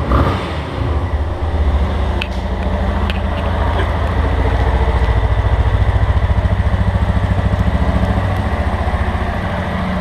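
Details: Motorcycle engine at idle, under warranty, engine to be opened: light fast tec-tec tapping over steady low idle beat, in time with the engine; workshop chief diagnoses worn cam chain bearing, unconfirmed.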